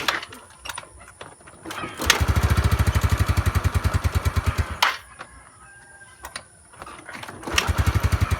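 Repeated cranking bursts that catch briefly and die, the scooter won't stay running on its own.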